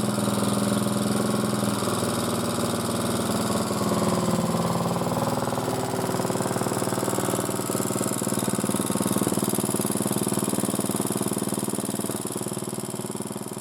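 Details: Motor-cultivator that knocked and stalled in autumn after hard use and started poorly, running after valves checked (intake upper 0.20, exhaust lower 0.15 clearance); gearbox turning; single cylinder chugging evenly about four beats a second, no valve-gear tapping; normal running.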